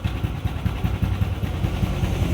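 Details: Yamaha Aerox 155 with an overheating problem, cooling system bypassed and coolant circulation checked, idling with a 63 bore setup; even low putter, steady firing pulses, no knocks or rattles, clean healthy idle.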